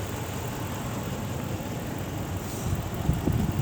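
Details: 2006 Ram 1500 4x4 5.7L Hemi V8 idling at operating temperature after water pump replacement and a long test drive. Steady, even low rumble with no knocks, ticks or squeals. The cooling system is pressurized with no hose, thermostat or pump leaks: normal, healthy idle.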